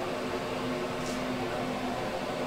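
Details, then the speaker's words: Radon mitigation fan at about 1 inch of static pressure with pipe on top and no noise suppressor fitted: constant airy whoosh with a steady mid hum from the open exhaust pipe; loud discharge noise. "We'll even do it with some pipe on the top."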